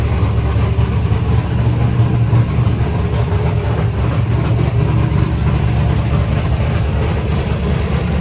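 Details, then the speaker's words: 1964 Ford Fairlane V8 with modified dual carbs, cold idle about 900 rpm, not yet warmed up: deep, even rumble, no misses or stumbles; running clean. "It's not even warmed up yet. >> It sounds good, though."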